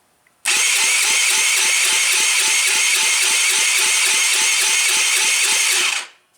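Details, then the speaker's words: Taotao without muffler, spark confirmed, carb choked: starter cranks at a steady quick rhythm of sharp puffs for about five seconds, never firing; cranks but won't start, starting fluid tried next. "Nothing."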